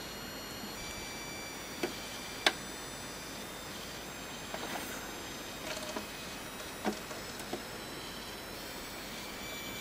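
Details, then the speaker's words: Switched-off, unplugged Packard Bell iMedia S3720 tower PC: faint steady high-pitched coil whine with scattered chirps and ticks; owner suspects a dead power supply but is unsure. "If I turn this off and unplug the machine, listen to this for coil wine."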